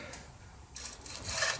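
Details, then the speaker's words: Truck wheel hub spun by hand: a dry, rasping scrape rises as it turns. The bearings spin freely, and the owners suspect something spinning behind the hub rather than the bearing, though this is unconfirmed. "bearings, we got something scraping on something. The bearings spin freely here, but if that's the bearing making that noise, or maybe something spinning in the back here."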